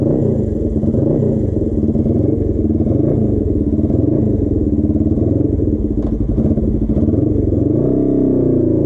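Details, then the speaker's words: Custom Suzuki GS450 scrambler twin, warm, ridden on a hot day: steady drone, then stumbles and pitch wavers as it breaks up; misfire from a dying ignition coil. "you this thing's start to break up a little bit I don't he's still low but he had a couple times were sort of fluctuate"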